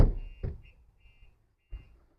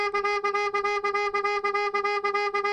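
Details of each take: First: 2025 Ford Transit Custom MS-RT with Starline alarm: dull thumps on the rear body, then a few short high chirps as the shock sensor pre-warning works, with indicator flashes and a text sent to the owner. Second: 2025 Ford Transit Custom MS-RT hybrid petrol with upgraded aftermarket alarm: loud pulsing siren about three times a second, triggered by trying the boot handle while armed, indicators flashing; alarm working normally.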